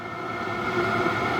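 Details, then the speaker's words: Battery-powered diesel heater at the allotment, ignited and fan kicking up: steady even fan whirr with a faint pump ticking underneath, no rattles or surging; running fine. "you can hear the fun kicking it up and you can hear everything running nicely"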